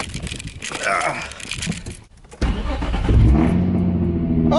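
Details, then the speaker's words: Nissan 350Z after replacing the failed header exhaust gasket that caused a major exhaust leak: the engine fires and holds a smooth, even idle with no ticking or puffing, exhaust normal again. "it sounds normal yep back to normal now"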